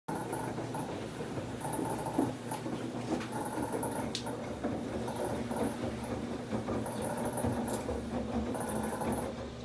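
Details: Samsung WF1124 front-loading washer drum turning with a rumble and repeated high squeaks every second or two; the loud abnormal noise is getting more frequent, once only during spin, now also during washing; cause unclear.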